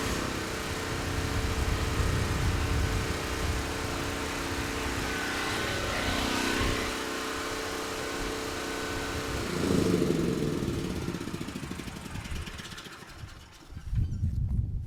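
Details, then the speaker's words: Titan TG8000Z generator, previously ran only on starting fluid, oil sensor found unplugged; after repair it starts right up and runs a steady, even drone under load at 60.8 Hz, 128 V, no surging, then tapers off; healthy. "not too bad started right up sounds good surging is not an issue and handle the load just fine so we know the engine is good the power output's good"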